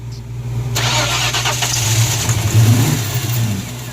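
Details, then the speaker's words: 1994 Ford Mustang GT convertible, crank no-start, being jump-started after the new battery was drained: steady low cranking churn that wavers but never catches; later fires and stalls, suspected vacuum leak or blowby. "We managed to kill our brand new battery trying to start this thing. So, we're going to jump start it and see if we can get it to fire."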